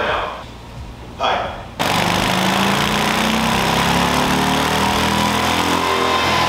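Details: Stock 2024 Harley-Davidson Low Rider ST V-twin on a dyno base run before a stage 2 build: after some background noise it opens up with a loud, steady roar rising cleanly in pitch. Healthy; best stock run was 89 hp and 111 ft-lb.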